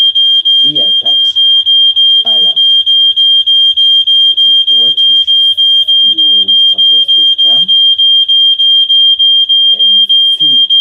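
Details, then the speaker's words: Standalone smoke detector tested with smoke: shrill high beep repeating fast and steady, about three a second, nonstop; it senses the smoke and alarms properly. "See, guys, it has already sensed it that there is a fire."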